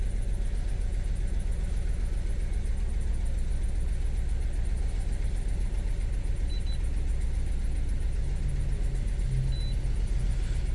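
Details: 2012 Suzuki Swift 1.4 L petrol with engine light on idles with a low, steady throb and slightly uneven pulse, no strong knocks; scanner reads P0302, cylinder 2 misfire detected, giving a mild rough idle.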